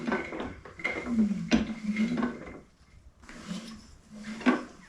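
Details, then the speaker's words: Ford Model A homemade doodlebug tractor, sat 40 years, engine rolled over by hand: dull irregular clunks from inside; a loose rod was first suspected, and a broken cam gear is being checked with the timing pin. "I did notice something in the meantime though, and you may have heard it when I was turning this over earlier. There's a clunking noise."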